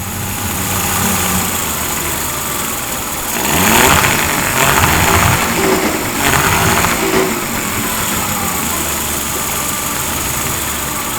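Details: Yamaha 40 hp two-stroke oil-injected outboard, after a carburetor cleaning; it started on the first pull, smoky as the oil burns off. Steady, even idle with a crisp patter, no misfires or hunting. Normal idle.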